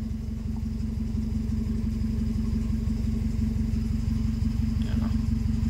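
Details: Honda Civic with hard starting, sudden stalling and a check-engine light from an ECT fault code. After clearing the code, the light stays off. Steady, even idle with a smooth low rumble, no misses or stumbles: normal idle.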